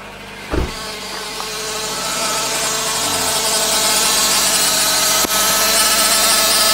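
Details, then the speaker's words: 2009 Nissan Cube CVT, 195,000 km, after draining about half a litre of overfilled dirty fluid, before fluid change: steady high-pitched pump whine building after startup and holding over idle. "I'm gonna go ahead and start it up and we'll listen whether my pump line is still there now that I've drawn off the extra fluid"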